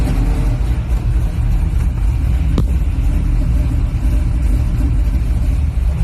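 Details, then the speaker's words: 1978 Chevy Malibu, 350 V8 with 5-speed swap and knockoff Flowmaster mufflers, cold with no choke: a loud, deep rumble with uneven low pulses as the engine wants to stall. Cold stumble from the missing choke. "Ain't got a choke on it, so it wants to die out, but that's"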